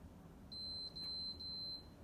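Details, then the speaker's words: PS4 with seized cooling fan: fan tries to spin and stops, making noise, then three short beeps as the console shows "PS4 too hot" and shuts off during a game. "so the fans still trying to spin it just makes that noise there you go"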